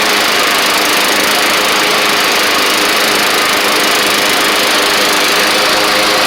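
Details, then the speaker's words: Troy-Bilt Bronco riding mower with a Kohler Courage single-cylinder engine after a carburetor jet was drilled out and deck and belt work. A steady, even drone holds speed with no misses or hunting, though a slight surge is possible: running normally. "uh runs good and uh sometimes it's hard to get these coers to not surge a little bit but this one seems to be okay uh it could be a little bit better"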